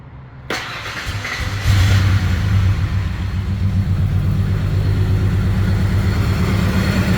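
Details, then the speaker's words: 1994 Ford Ranger 4.0L V6 after new spark plug wires: brief crank, clean catch, smooth even idle with no stumble. Runs fine; owner had trouble getting into gear and suspects the transmission is failing. "so it does fire up nicely had a little problems getting into gear"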